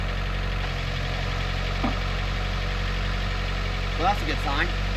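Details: 1996 Honda Del Sol at first start after timing belt and water pump replacement, with accessory belts not yet fitted: an even, steady low idle with no tapping, misses or rattles, so it runs smoothly and in time.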